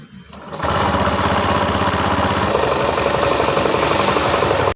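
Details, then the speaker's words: 2019 Honda Scoopy with noise from the middle of the engine, idling with the CVT pulleys removed: fast, uneven knock of about four a second from inside the engine; con-rod knock, engine torn down for con-rod and piston kit. "Nah, seperti itu ya suaranya. Suaranya itu seperti setang oblak. Tapi belum bisa mastiin."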